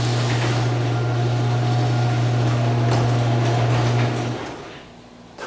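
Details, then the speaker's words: Garage door opener running on Generac standby generator power during a house load test: smooth steady motor hum for about four seconds, then winds down evenly with no strain or grinding; normal operation. "Those didn't miss a beat. That was awesome. All right, let's see. Air conditioner sounds okay."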